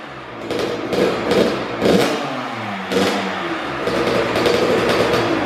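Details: First-ever start of a brand-new Kawasaki KX112 with a Pro Circuit pipe, R-304 silencer, Boyesen RAD valve, VHM high-compression head and rejetting. Crisp blips rev up and drop back cleanly, then it holds a steady crackling idle: a strong, healthy two-stroke.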